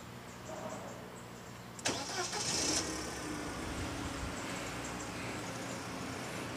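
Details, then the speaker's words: 1997 Mercedes-Benz C200 W202, about 58,000 km, hood open: starter catches and engine settles at once into a smooth, steady idle with normal vibration, no knocks, misses or stumbles. "Waduh, masih halus ya. Bisa dilihat getarannya juga masih normal, sangat-sangat normal."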